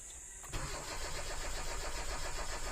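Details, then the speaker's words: Hyundai Accent automatic, around 2011–2013, check engine light on and fuel pump audible: starter cranks with a steady rhythm on and on but the engine never catches; crank no-start, crankshaft position sensor circuit fault. "start Ayun cranking lang siya ayaw tumuloy Ayun oh"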